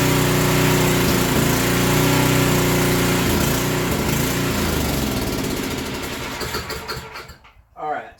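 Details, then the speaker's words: Portable generator surging, with a slow-draining fuel line and tank suspected clogged: engine speed rises and sags every second or so, then fades and dies; adjusting the idle or adding a governor spring is being considered. "so there's a couple of things we can do we can first try to adjust the idle so that it doesn't come down so much and we may have to put a spring on this Governor"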